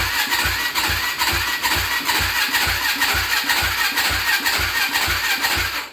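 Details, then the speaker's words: Yamaha Blaster ATV with a swapped YFZ 450 engine, stock pipe: fires into slow, lumpy, uneven beats that never smooth, then dies; fuel starvation, no gas coming out of the tank until set to reserve. "I just don't think it's got enough gas in it. Yep, there's no gas coming out of the tank."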